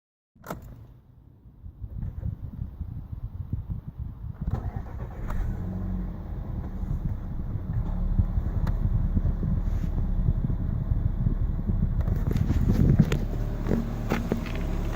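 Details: VW Golf 6 TSI idling unevenly with irregular stumbling exhaust pulse, car shakes badly after about 30 seconds of idle. Owner suspects misfire; unconfirmed.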